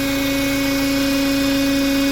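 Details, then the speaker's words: Renault Duster Oroch petrol engine, 54,484 km, idling with a loud steady hum near 280 Hz and a faint whistle; intake manifold vibrating, sound changes when the PCV valve is disconnected; cause suspected, not confirmed. "se escucha el motor este multiple admisión se encuentra vibrando en este momento"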